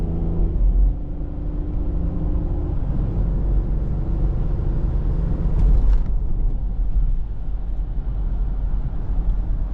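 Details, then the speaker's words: 2006 Ford Explorer Eddie Bauer on a test drive after new left and right rear hub bearing assemblies: only a steady low road rumble, no droning or growl building with speed. The former roaring noise is gone and the wheel bearings are quiet. "Believe it or not, it is actually quiet. Amazing. Oh, you just don't know how satisfying it is that this thing is not making an airplane noise."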